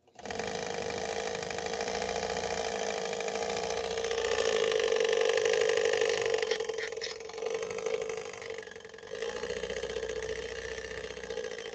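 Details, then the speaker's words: "Swedish Beauty" sewing machine, bobbin winder assembly that also trips the clutch and transfers motor power to the main-shaft belt: steady buzzing hum with fast rattle about four times a second; assembly faulty. "So it really is. It's a control area for so many functions of the machine. And when it's not in optimal form, this is what it sounds like."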